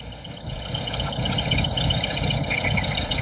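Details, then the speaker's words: 2018 Skoda Superb 2.0 TSI just after spark plug replacement: even, steady idle with a fine regular patter, settling smoothly as the cold-start fast idle drops, no misses; normal clean idle. "Ładnie, pięknie, z tak zwanego ssania zszedł."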